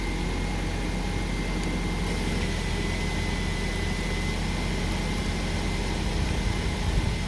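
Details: 2005 Honda Civic DX idling after rod-knock repair (crankshaft journal polished, bearings torqued, reassembled): steady even low hum with faint constant high tone, no knocking; engine healthy.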